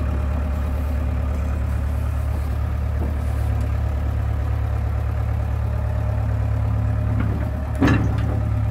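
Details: John Deere 490E excavator diesel with Hitachi hydraulic pump in limp mode, computer bypassed: steady, even low drone with no surging or bogging; slower but running smoothly and normally.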